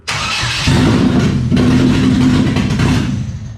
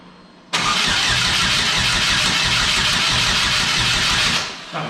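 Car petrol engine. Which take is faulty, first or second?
second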